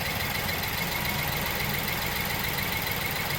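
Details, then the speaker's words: BMW 320i E92 N43 engine after full rebuild, warm steady idle: light fast ticking about three or four per second from the high-pressure direct-injection fuel pump, normal noise, nothing wrong. "Those noises you can hear is that, and then the high pressure fuel pump that's just there. So they're normal noises, but yeah."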